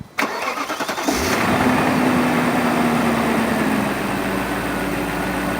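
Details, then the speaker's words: BMW E39 4.4 L V8 after spark plug replacement, cylinder one previously misfiring and knocking: engine cranks, catches quickly and settles into an even, smooth idle with no knock or stumble; normal start and idle. "okay that sounds good before there was a knock cuz the cylinder one was out but now it's nice and smooth excellent"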